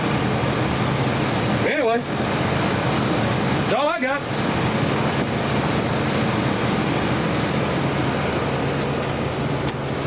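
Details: 1999 Chevrolet S10 4.3L V6 after fixing the P0300 misfire: an even, steady idle hum with no stumbles or missing beats; all six cylinders firing cleanly.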